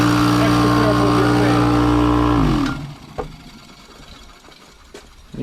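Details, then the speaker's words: 20+-year-old Craftsman 6 hp 30-gallon air compressor with a scored cylinder and piston: light, even unloaded pumping drone about four beats a second, then shuts off; runs nonstop with no resistance and builds no pressure. "so what's going on with it well we plug it in and it just runs and runs and runs and builds no pressure so what's the cause of that well because of that we need to change the piston that's inside the air compressor"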